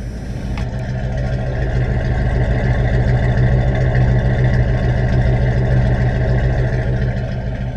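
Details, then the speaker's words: 1991 Tioga Class C motorhome, mid-winter inspection, engine idling after start with the transmission in neutral to warm the fluid. Low, steady idle with an even pulse, no knock or stumble; healthy warm-up idle. "I just love that sound, I do."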